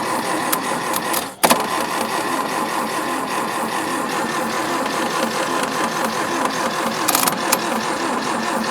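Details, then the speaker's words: Daihatsu F20 4x4 not run in years, with a suspected bad ballast resistor. Even, rapid starter churning, engine turns over but never fires. Suspected no spark at top due to an unseated king lead; ignition timing then suspected off. "I think we might not have a spark up the top right"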